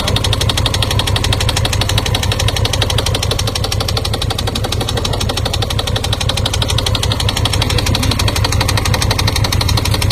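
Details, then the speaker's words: 2018 Honda Gold Wing 1800 with only 2,000 miles: fast steady knocking about three beats a second over the running engine; engine knock, cause not confirmed. "what's your thoughts JC on a 20 1800 going that's knocking in the bike only has 2,000 miles"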